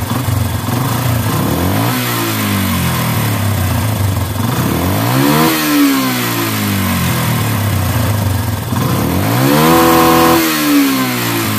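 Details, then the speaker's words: Yamaha Bison motorcycle, single cylinder, revved three times with irregular exhaust popping as revs fall, plus hesitation and black smoke; emission hose plugged, air screw being adjusted fully in, popping persists; carburetor mixture needs setting. "Ya teman-teman cuma nembak nembaknya masih ya teman-teman kita coba setel anginnya dulu kita pentokin dulu anginnya ke [Musik] dalam masih saja agak"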